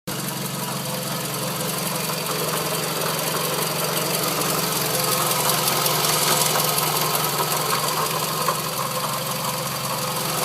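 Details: Scion tC idling with a rough, repeating knock about three times a second; parts-store opinions split between belt, water pump or power steering pump, owner feared rod knock; confirmed failing water pump, noise gone after replacement.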